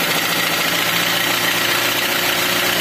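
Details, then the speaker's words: Toyota Avanza/Xenia petrol engine just after cold start, following timing correction for P0008: light metallic piston clatter that fades once oil pressure builds fully; suspected hardened oil sludge on pistons and rings from past overheating, causing hard starting. "ya hilang itu dikasih piston ketika kletek-kletek yang hilang berarti oleh udah naik full dan besoknya dapat terlumasi dengan baik"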